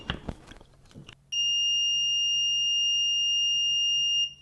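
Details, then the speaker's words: EEVblog BM786 (Brymen) multimeter continuity test with Probe Master probes: after a few probe clicks, a clean, high, steady beep holds about three seconds; buzzer latches quickly and the backlight blinks; normal continuity beep. "it latches and it also blinks the uh [Music] backlight and it goes pretty fast and it blinks the backlight very nice"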